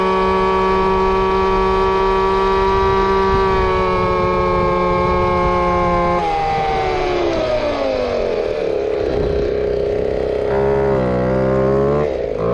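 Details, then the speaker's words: Two-stroke RC Big Foot, hot pipe, top-end needle adjusted, about 28 mph: high scream holding steady, then pitch sagging and wavering; lean mixture breaking up at full throttle. "we're definitely at the limit of lean and rip because it's starting to bounce back and forth and and break up a little bit"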